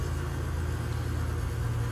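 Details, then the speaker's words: York AC unit model YC2F24SB21SA, ECM condenser fan replugged into its module: steady compressor hum with an even fan whoosh, no rattles; the unit is running normally after the module reset. "so I I just did that we'll plug it back in and compressor's humming I don't know if you can hear it and there's my fan motor it's all working"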